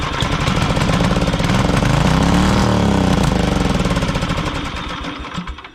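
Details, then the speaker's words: 1982 Snapper Comet riding mower, 8HP Tecumseh electric-start engine, estate-sale machine with dead battery: rough, uneven chugging swelling and fading with irregular pops/poofing while barely running on starting fluid; fuel delivery suspect, carburetor needs cleaning. "Sweet mother of God. What does it mean? I heard some funny poofing out of there. I guess you can't get lucky all the time. I gotta clean the carburetor."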